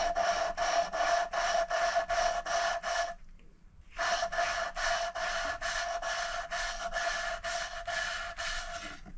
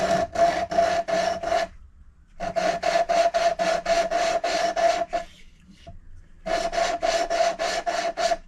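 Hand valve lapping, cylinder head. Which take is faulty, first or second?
second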